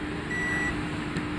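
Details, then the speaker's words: Hyundai Grand i10/Xcent diesel no-start, DTC P062E injector driver circuit bank 2: multimeter continuity test between injector terminal and body gives a single clear beep; injector shorted internally to its body. "Injector short ಆಗಿದೆ internal body ಜೊತೆ short ಆಗ್ಬಿಟ್ಟಿದೆ"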